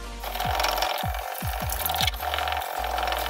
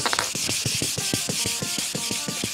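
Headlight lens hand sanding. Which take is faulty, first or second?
first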